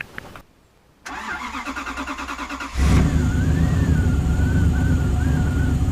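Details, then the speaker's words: Toyota 1UZ V8 turbo first start on newly installed Haltech Elite ECU and harness: quick even cranking then catches on all eight into steady idle; fires cleanly but runs very rich, wideband O2 sensor not yet fitted. "we've got it sounds like it's got eight but it's running awfully rich so it's time to put the o2 sensor in"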